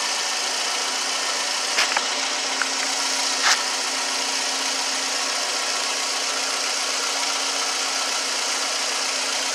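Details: 2009 Toyota Camry with brand new alternator fitted after loud whining noise, engine idling: even, steady hum with no knocks or misses; idles smoothly and sounds healthy.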